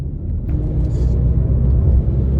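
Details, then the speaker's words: Mini JCW after full engine rebuild for head gasket failure, first drive after MOT and wheel alignment: deep steady drone while driving, present straight and turning left, gone turning right; owner suspects a worn wheel bearing. "That noise comes straight in. What is that noise? Turn right, it's fine. When I turn left, it's there. In a straight line, it's there. I have a feeling I'm going to have to order a wheel bearing."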